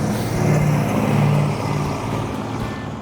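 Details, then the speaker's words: Restored 1972 Dodge Charger Rallye, special-order 318 V8, being revved with the gas pedal: deep V8 rumble that swells and eases back, smooth and even with no knocks or misses. Normal, healthy running. "I think it sounds good. It does sound good, yeah. But it was cool. The car did perform well. The car ran good."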